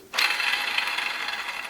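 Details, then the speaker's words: 2012 Audi A4 B8 electric steering rack, disassembled, main power bearing turned by hand: dry, gritty rasp with fine clicking. Water entered from the right side and stayed in the bearing, causing rack noise and a mechanical-fault error, though assist still worked. "Рейка разобрана, состояние деталей очень хорошее, вода попадала только с правой стороны, соответственно, повредился больше всего именно силовой подшипник. Вот он как работает."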